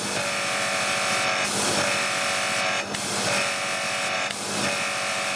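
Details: Annovi Reverberi pressure washer after a jammed valve was freed and the motor and pump oils were changed. A steady, high pump whine with small regular dips as pressure settles, rising to 1000 psi. It runs evenly and healthily.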